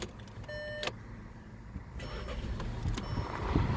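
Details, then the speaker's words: 2016 Volkswagen Golf, odometer 66,495, during pre-purchase inspection: short crank, catches at once and settles into a quiet, even idle with no misses or knocks; normal engine start. "starts right up no issues"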